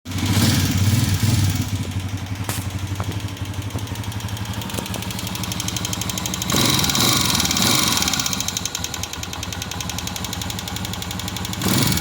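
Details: Honda CG 125 single cylinder at idle: quick, even ticking riding on top of the idle, keeping pace with engine speed; diagnosed as worn tappet rods needing replacement, not piston, rings or cam gear.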